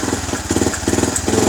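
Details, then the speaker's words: Yamaha Vixion stuttering when the engine is hot, attributed to a dirty fuel pump filter; when throttle is blipped, revs pulse and sag unevenly and drop as if about to die; stumbling under throttle. "Motor mau kayak mau mati ya. Kedengeran di sini."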